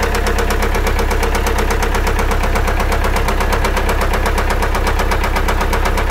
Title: فجاة تغير صوت محر ك السيارة تكتكة طقطقة